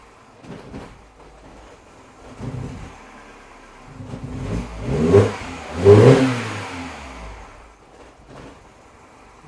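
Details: Mini Cooper R56, engine cold: quiet idle, stalling, then throttle blips come out ragged and stumbling; misfire only when cold, normal after 1–2 miles.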